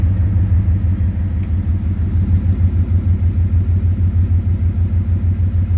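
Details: 2010 Ford Mustang GT V8 at idle: deep, regular knock, about three thumps a second, louder near the oil pan and the torque converter/transmission. Suspected rod knock, lifter tick or loose torque converter; unconfirmed.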